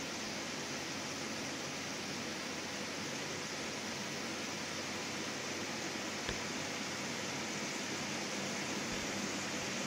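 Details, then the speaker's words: Window air conditioner on cool, fan stepped low to medium to high, earlier rubbing expected to wear off, tested outside a window: steady soft whoosh with low constant hum, no rattles or knocking; quiet, running normally. "Yeah, this is a pretty quiet unit. And it'd be even quieter if it was in a window and you weren't getting the noise from the outside part of it."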